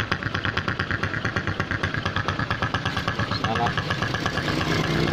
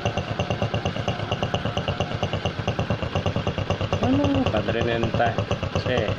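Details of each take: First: Honda Supra X125 motorcycle: uneven, lumpy snoring idle about twice a second, not smooth; cause found as cracked engine head breather hose, split right at the clamp, disturbing the membrane and leaking vacuum. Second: Honda Supra X125 motorcycle after fixing the cracked head breather hose that fed the membrane: steady, even single-cylinder idle around two beats a second, no misfire, knock or snoring; now running smooth.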